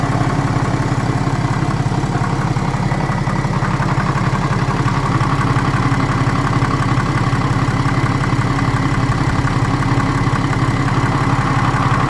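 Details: BMW N57 diesel engine, crankshaft and conrod bearings, timing chain, belt tensioner and idler pulley all new; dull regular knock about twice per second over steady idle, only at idle, comes and goes suddenly; source unknown.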